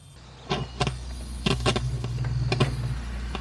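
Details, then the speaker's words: Vehicle audio system, after an electrical failure, gives sharp irregular pops and crackles over a low bass hum when the cable is wiggled; only the subwoofer works, no speaker sound, suspected loose audio cable connection. "See, that's what made me think it was the cable. You can hear all that crackling, but I'm not getting the sound. I'm just getting crackling."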